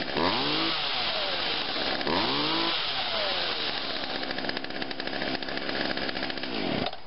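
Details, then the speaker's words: Small engine with a cleaned, lubricated ignition coil, started from dead cold with choke on, three primer pumps and a few pulls. It catches and idles right away with a steady, even buzz, running as it should. "it aisles right away see that's how it should be"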